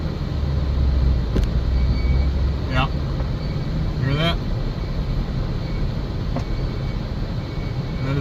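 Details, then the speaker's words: Jeep JK driven at walking pace in freezing weather, faint rising scrape about every 1.5 seconds from a rubbing parking brake; turned out to be on the opposite side than first suspected. "sound of a parking brake rubbing that's pretty obviously a problem"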